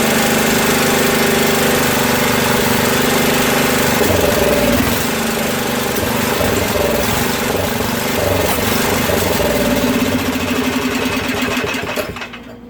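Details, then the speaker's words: Craftsman 13hp OHV Tecumseh rear-engine tractor, earlier no compression with suspected valve or pushrod trouble; runs lumpy, stumbling and lean with a lot of water in the fuel, then dies; rough running from water in fuel. "okay so that sounds a little lean and she's got a lot of water in it um we're gonna try just to keep running it"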